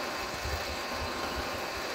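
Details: Car idling in neutral: low, uneven rattling thump from the gearbox side that disappears when the clutch pedal is pressed; gearbox-area rattle, source not confirmed.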